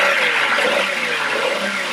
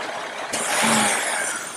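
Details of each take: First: Engine pulls cleanly through quick rising revs with no stumble after the oxygen sensor is unplugged; with it plugged in, it read near 0 millivolts and short-term fuel trim maxed out adding fuel. Normal acceleration. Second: Engine idling when the brake booster vacuum hose is popped off to force the oxygen sensor lean: a sudden loud hiss over the idle from a major vacuum leak, yet the O2 sensor reading does not change.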